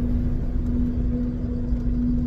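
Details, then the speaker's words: 1993 Jeep Cherokee while driving: steady low hum that grows louder after a short drive, failing fuel pump in tank, likely clogged after sitting five or six years. "well it starts right off right now but here in a second it's going to start getting loud and so i've got a new fuel pump"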